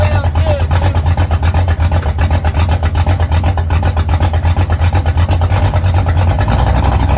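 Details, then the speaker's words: Engine start after correcting wrongly ordered spark plug wires (firing order), semi-cold start at about 63°F: deep, steady rumble with even firing pulses and no stumble or misfire; it snaps to life and runs healthy. "once I realized what I had done I went back through I rearranged them got everything set up right and now it just snaps to life"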